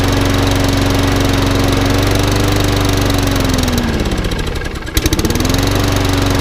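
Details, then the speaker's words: Lawnmower from a job lot, with a cleaned carb and a new spark plug, holds a steady governed buzz and briefly dips and recovers. It was over-revving because the governor arm was stuck, and it was very smoky at first. It now runs normally with the governor working. "A new spark plug in it. It wants a bit of love and attention, but it's all running. It was very smoky at first."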